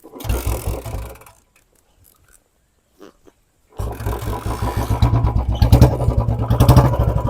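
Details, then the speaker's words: Royal Enfield Bullet 350 BS4 single, just started before backfire tuning; cranks, catches after a pause, then slow uneven thumping, idle too low and needing the idle screw turned up. "भाई बढ़ाना पड़ेगा मैंने पहले ही बोला था एक बार bike को start करके देख लेना ताकि पता ग जाए स्लो रिंग बढ़ेगी तो नहीं"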